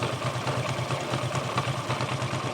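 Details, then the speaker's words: Glamour motorcycle at idle: steady thump with a rough, clattery rumble that softens as revs rise and is louder when riding; seems like wheel but traced to the clutch side. Worn clutch-side bearing. "এখানে আওয়াজটা শুনে মনে হচ্ছে যেন চাকাতেই problem কিন্তু ভালোভাবে যদি শুনি তাহলে মনে হবে যেন ক্লাচের সাইড থেকে আওয়াজ হচ্ছে"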